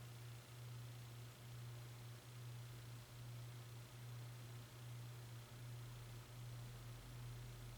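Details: Hunter Westminster ceiling fan: steady loud 60 Hz hum with soft pulse about once per second as it turns; high speed no faster than medium, likely a bad capacitor, not confirmed.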